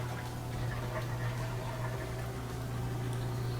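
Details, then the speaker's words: Whirlpool Thin Twin laundry center washer that wasn't spinning, with the lid switch now clicking: steady low drain pump hum with faint water gurgle, draining normally before it speeds up to spin. "So we can hear it draining now, back to normal. And then after it drains for a little while, it'll pick up speed and start to spin."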